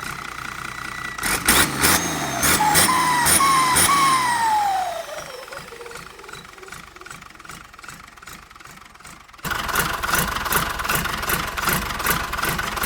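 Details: HX35 turbo boosting at low revs: sharp throttle blips bring a high whistle that climbs with each rev and falls away after. Normal turbo whistle, spooling early.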